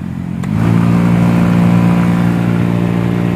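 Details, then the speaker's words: Maruti Alto K10/Alto 800 cabin blower fan: fine at low speed, but above setting 2 it gives a loud buzzing drone with rough vibrating rumble, the dashboard vibrates and airflow is much reduced; worst at setting 4. "ये कुछ इस तरह की, पूरा जो dashboard होता है वो वाइब्रेट करने लग जाएगा और इसमें बहुत तेज़ आवाज़ आने लग जाएगी। हवा का जो फ्लो है वो बहुत कम हो गया है फ्रेंड्स, और जो वाइब्रेशन और आवाज़ आ रही है इसमें से बहुत तेज़।"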